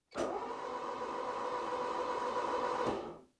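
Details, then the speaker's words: Barn-find 4WD Citroen BX, first crank after sitting, oil squirted into cylinders, no oil pressure gauge: even starter whirr turns engine quickly and freely about three seconds, tone changes as oil pressure arrives; normal cranking. "I can hear the tone change so I can actually hear the oil pressure but I have no indicators showing me the oil pressure but I can hear the oil pressure arrive it changes the tone completely on an engine"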